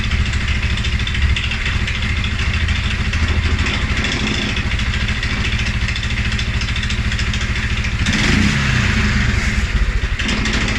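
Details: 2011 Polaris Sportsman 550 XP, EFI: single-cylinder thump about three beats a second, uneven and lumpy, stumbling after a blip; also stumbles cold on startup. Dealer found TPS, IAC, TMAP in spec; valves, timing, new plug, 43 psi fuel pressure good; rough idle, cause unknown.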